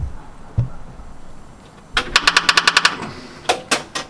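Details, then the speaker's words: Austin-Healey Frogeye Sprite with a 3.5L Rover V8 and rebuilt Holley 390cfm carburettor: the ignition is turned on and a quick burst of about eight sharp clicks follows, with no cranking. Starter motor stopped working; owner believes the starter is at fault. "Well, it's been a nice evening. Nice day. And the starter motor has stopped working."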